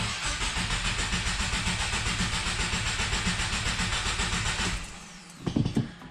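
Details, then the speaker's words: 2020 Subaru WRX, 2.0L turbo FA20F four, 4,000 miles, after an oil change: cranked with clutch in and throttle floored to build oil pressure without starting; steady starter whirr about five seconds, no catch, then a few clunks. "one foot on the clutch one foot on the gas all the way to the floor put the key in turn the ignition on and then just turn it over [Music] do it a couple times build oil pressure"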